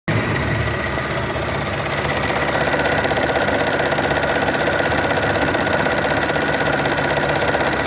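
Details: Chevrolet Onix 1.4/1.0 at idle: steady hum with a fast, somewhat uneven ticking about three per second; a common engine noise fault described as easy to fix, cause not identified here.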